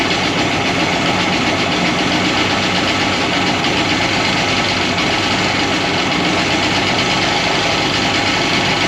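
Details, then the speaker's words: 2001 Polaris Virage 700 jet ski at first start-up: loud, busy two-stroke idle with a constant metallic rattle underneath from somewhere at the rear, source unknown; it holds an idle. "Back here is rattling. There's a rattle or something from somewhere. I just don't know where."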